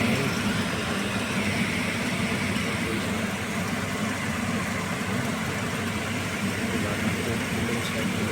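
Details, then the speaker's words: Package AC unit after the belt causing the noise was replaced and the unit powered back on. It gives a steady, even whoosh and hum with no slap, squeal or knocking; the belt drive now runs smoothly and normally. "मैं felt के replace करते ही बिल्कुल machine हमारी smooth चल रही है"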